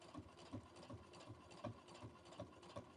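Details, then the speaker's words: Brother Innovis A150 sewing six layers of denim at 4 mm stitch length: regular dull thumps about three per second as each needle stroke punches through, but it feeds smoothly and stitches look fine. "It's a bit thumpy. But we're okay. It's going through very smoothly."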